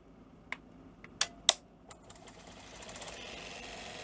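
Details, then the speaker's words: Sony SL-F1F SECAM portable Betamax after replacing all five 10 µF 16 V capacitors, deck running at an odd angle: sharp mechanical clicks as the deck engages, then a steady whir. Deck mechanism operates normally; cutting-out fixed. "we have magic can't believe it so is literally those five caps do them all yeah it's going to struggle a bit cuz it's running in a really weird angle that's that's working"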